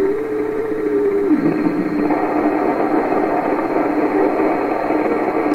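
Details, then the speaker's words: 1928 RCA Victor Model 28V radio during alignment: hiss and tuning noise with a steady tone that drops in pitch and settles as the trimmer is turned into regeneration oscillation. "Hear the sound changing? We're getting close to the oscillation now. There it is."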